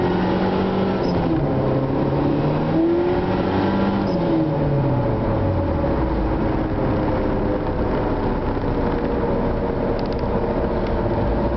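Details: Honda Integra at 3/4 throttle in 3rd and 4th gear; engine note climbs and flares under heavy throttle then sags without matching pull, the clutch is slipping.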